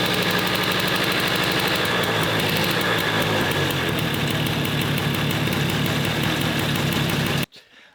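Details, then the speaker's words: Suzuki Street Magic 50cc moped fitted with a 125cc two-stroke Gilera Runner engine: crisp, rapid, even buzz at a slightly high tickover, no misses; carburettor and ignition not yet set up, engine healthy. "that sound beefy? So impressed, so impressed. I mean, that starts so easy and it was ticking over like a peach then."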